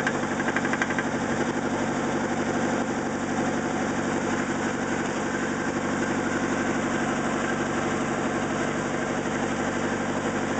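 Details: 1991 Nissan 240SX petrol engine at idle: steady deep knock about four times a second, rod knock.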